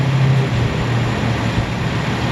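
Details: Chevrolet Malibu idling on new, partially charged battery (12.4 V) during charging test showing 14.7 volts, no ripple; smooth even low idle, steady drone, no knocks, misses or surges; healthy engine.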